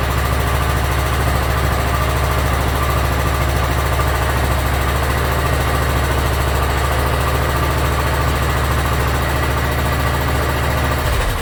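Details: Yard Machines (MTD) 42-inch riding mower, single-cylinder engine, after carburetor cleaning and freeing a stuck emergency shut-off: catches and settles into a steady, even idle with a firm low thump, no hunting or stalling; runs pretty good.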